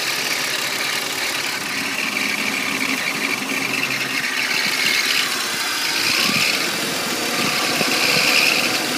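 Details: 1998 BMW 328i (E36) idling, a thin metallic rattle that swells and fades, loudest with AC on and also when accelerating off the clutch; owner suspects a bearing, not confirmed: engine rattle.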